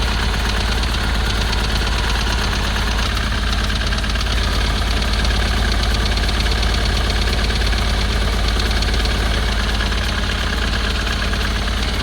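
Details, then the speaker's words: 2010 Ford Transit welfare van, previously seized and fitted with a new starter, running with oil coming out of the exhaust: a rough, uneven diesel clatter with loose knocks. The owner suspects a cracked piston, turbo or injector. "sounds like a chip pen inside that exhaust um with the oil going through up now that could be a number of things be a crack piston turbo no injector"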